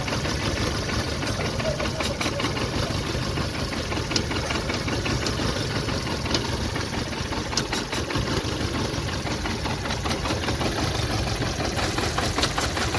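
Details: VW Polo Vivo 1.4 CLP engine: uneven stumbling idle with irregular thumps and hissing; random/multiple-cylinder misfire caused by heat-damaged broken PCV breather pipe letting in unmetered air.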